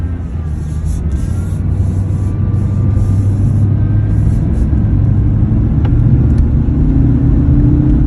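Steady low hum rides under the road rumble while driving, with a faint tone creeping up as speed builds; source not pinned down.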